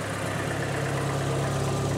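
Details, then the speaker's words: 2020 John Deere ProGator transmission after input shaft bearing replacement, clutch in and out at idle: smooth, even low hum with no bearing growl or whine; transmission sounds normal. "let's do it again clutch in clutch out oh yeah sounding [Music] good"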